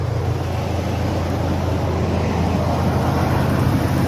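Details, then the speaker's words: Dodge truck after the squeak was traced to a pulley bearing and fixed, coolant topped off, engine started: a steady, low idle rumble with no squeal or chirp, so the belt drive is quiet and the idle normal. "let's get it big running and I don't hear that squeaking sound anymore guys and that was because the pulley the uh the bearing"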